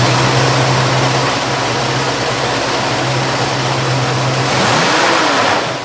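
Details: 1966 Ford Mustang, 289 small-block V8, Edelbrock 1406 carburetor, aluminum intake, 7-blade clutch fan, C-5 automatic, heard with hood open: steady even burble at idle then clean rise in revs, no knocks or misses; normal idle and rev.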